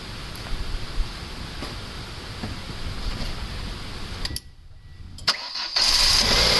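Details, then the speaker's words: 1.9 engine after dropped valve seat repair, new timing belt, lifters, rockers and Autolite platinum plugs, first start: steady even idle, smooth exhaust pulse, no lifter tapping; normal idle. "that sounds pretty good guys I don't hear any tapping so the LIF was pumped right up when I was cranking it that's good sign"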